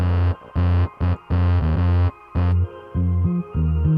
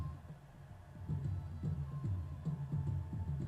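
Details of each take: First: Dayton Audio DC130AS-8 replacement speaker, new, in Polk Audio RTI-28: bass notes buzzy and rattling, worse on deeper tones, clean when pressure applied; voice coil rubbing/binding, apparently factory misassembly. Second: Dayton Audio DC130AS-8 replacement woofer, previously rubbing voice coil and distorted, after re-engineering fix, mic close up, bass turned all the way up: deep bass plays full and clean with no rattle or buzz; normal playback.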